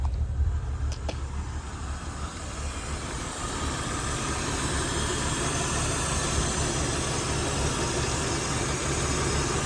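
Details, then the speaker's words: 1997 BMW 328i E36, off the road 7 years: settles into fairly steady idle, even exhaust note, no smoke; right exhaust side seems lower compression; normal idle, running. "There it is, though. She's running."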